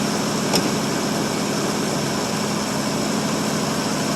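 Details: 1952 Ford Customline flathead V8 with dual glass-pack exhaust, cold start after one to two months unused; 6 V battery with a 12 V jump pack, fuel poured into the carb. It catches quickly and settles into a quiet, smooth, even idle. Healthy cold start.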